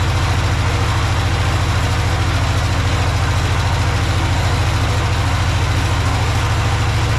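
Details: Project tractor's small single-cylinder engine, fed fuel from a Lucas oil additive container into the hose, with a slightly leaking fuel pump diaphragm. A steady, even low thump of about three and a half beats a second, no misses or stumbles. Normal idle.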